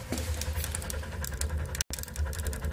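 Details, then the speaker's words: Bullerjan-type wood stove in a garage, after heavy chimney cleaning, runs with an uneven low throbbing rumble like a misfiring engine, plus crackling; the flame is separating and chuffing, calming once the outlets are partly closed. "слышно да работает как двигатель который троит вот надо чуть идёт срыв пламени"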